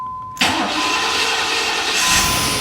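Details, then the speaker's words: 1993 Chevy Caprice after tune-up: new spark plugs, plug wires, distributor cap, rotor, PCV valve, EGR valve: short silence, then engine catches instantly with almost no cranking and settles into steady clean idle; normally cranks long before starting. "oh wow dude it fired up instantly like it was instantaneous"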